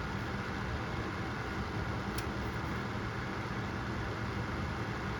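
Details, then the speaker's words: Vornado Flippi V10 personal fan running: steady, even rushing whoosh with a hollow tone, moderately loud, with the guard design and hollow plastic housing contributing to and echoing the noise. Loud fan noise. "it's kind of noisy in the sense that it has you could tell that guard design is contributing to the noise and just the hollowness the plastic"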